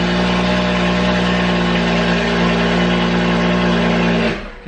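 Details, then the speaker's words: BMW F32/F36 435i N55 straight-six after water pump and thermostat replacement, first run: steady, even hum with smooth idle, no knocks or misses, until shut off; no coolant leaks seen, normal idle. "I'm going to shut it off. That sounded amazing."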